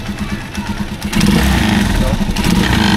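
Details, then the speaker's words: Rusi Chariot 175, engine running: loud uneven buzzing rattle over engine, harsher as it revs, first thought to be exhaust; actually the air cleaner shaking because its bracket's weak welding broke — air cleaner rattle from broken bracket. "so Akala ko rin dati ay tambucho yun pala itong kanyang air [Palakpakan] cleaner so ito yung nag-iingay itong air cleaner ang loko-lokong air cleaner na to So Mahina pala yung pagka welding ng ah bracket niya"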